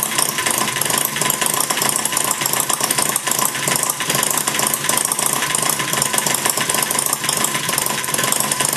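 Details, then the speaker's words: Maier TA4 radial after tuneup, warm, idling low with the flywheel carrying it through: fast, even popping with no skips or gaps, firing every time; normal idle. "it's a nice little idol there you know it's running real uh firing every time"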